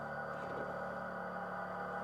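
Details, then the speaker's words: Ford Maverick Hybrid pickup in electric mode, silent until a gear is engaged, then emits a soft, steady electronic pedestrian-warning hum that changes with gear and switches off in park; working normally. "Então esse ruído ficar presente para avisar as pessoas e quando você engata a ele muda"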